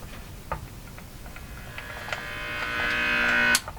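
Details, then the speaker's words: Silvertone Model 6002 four-tube radio in a metal cabinet, powered up at 117 V on the bench: a buzzy AC hum grows louder over a few seconds as the tubes warm, then cuts off. There are no stations. The three-part power-supply filter capacitor is suspected. "Hummer she's a Hummer she's a bad Hummer"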